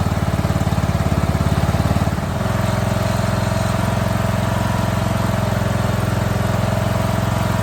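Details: Scrap lawn mower single-cylinder engine, first start after basic maintenance, running without an air cleaner before final carb adjustment: steady even low thump that settles after two seconds into a smooth regular beat; runs well.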